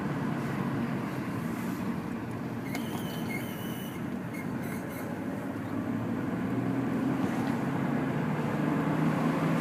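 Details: Lexus IS300, inside view, after new suspension parts. A squeal rising and falling during right turns only, from a brake pad clip bracket 2–3 mm from the rotor rubbing it; bending the clips away fixed it.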